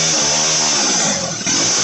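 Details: Motorized bicycle two-stroke (turbo version 4) after jetting was fixed: shrill, high buzzing note like a dental drill, held steady at high revs, clean and even with no stumble; running properly.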